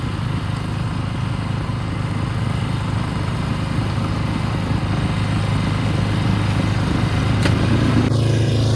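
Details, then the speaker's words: Ariens two-stage snow thrower model 11528, throwing snow at raised RPM; single-cylinder holds a steady busy drone at high revs and pulls evenly; normal running under load. "Wow, this thing throws some snow. I've never had a snowblower that threw snow that well."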